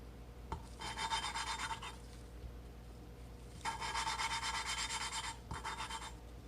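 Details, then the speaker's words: Mitsubishi Eclipse (420A engine) valve being hand-lapped with grinding compound: bursts of soft, even, very smooth rubbing, with no gritty grinding left, showing the valve is seated. "see you starts getting a smooth now you can't hear the grinding anymore on this guy because all the grinding is here yeah see it's like very very smooth up and down grinding again"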